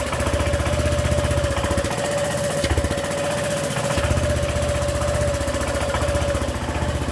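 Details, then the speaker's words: Honda PCX scooter idling after a tyre change, where the exhaust sealing gasket ring was left out. A sharp puffing tick on every firing pulse sounds over the engine note; exhaust leak at the missing gasket. "O que aconteceu? O cara esqueceu de colocar a junta de vedação, o anel ali na parte do escapamento. E ela tá fazendo um barulho horrível."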